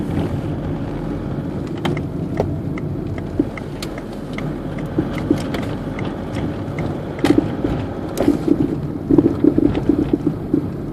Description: Knocking noise from a worn anti roll bar link 2005 citroen berlingo van.